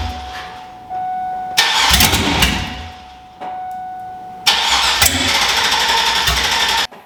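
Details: Monster truck school bus V8, sat all winter, started on poured-in gas with no exhaust fitted and fuel system not hooked up: two bursts of starter whine, then a harsh, raw, very loud crackling roar running open.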